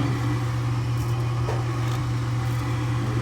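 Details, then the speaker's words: Furnace with new inducer motor replacing one seized by a bird inside, motor drawing about 1 amp, within range: even, steady low hum with no rubbing, scraping or wobble; inducer running smoothly. "run in about about 46 amp and motor right in like 1 aamp something like that it's within range"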